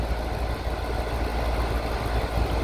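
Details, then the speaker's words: Air conditioner compressor powered by a 2000 W 48 V DC to 120 V AC pure sine wave inverter, running together with a 1000 W microwave: steady, low, even hum, no knocks or rattles; compressor running normally. "don't know how many watts this thing is but the macro is 1000 Watts and the small inverter cannot start this compressor so this is running the compressor is on"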